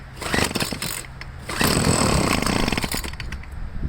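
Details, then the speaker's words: Troy-Bilt two-stroke leaf blower before carburetor removal, choke taken off halfway: it sputters, surges and bogs and won't throttle up. The owner suspects a dirty carburetor; the diaphragm is still unchecked. "take the choke off halfway it doesn't want to throttle up it's just like [Applause] carburetor is probably dirty"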